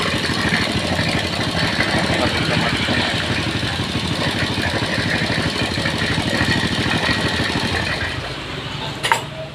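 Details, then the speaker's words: Old motorcycle said to idle smoothly when cold but run rough after 20–25 km, now hot: steady, even tick-over with no knocking or rattle, oil pump doing its job; normal idle. "Oke jadi caranya untuk melihat pemukul yang bagus cara kerjanya seperti tadi mau jalan sampai berapa ratus KM pun komponen dalam mesin ini tetap aman guys"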